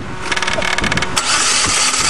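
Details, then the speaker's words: 1995 Geo 1.3 engine deliberately destroyed by feeding it gravel: starter spins fast and evenly with no compression chuffs; internal damage, no compression. "no compression we done her in I think it needs some B what do you think yeah I think so"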